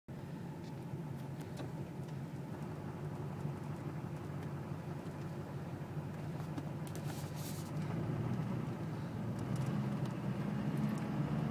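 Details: LLY Duramax diesel at idle at stops with white smoke: uneven, lumpy rattle and loose knocking beat growing slightly louder; rough idle with suspected fuel knock.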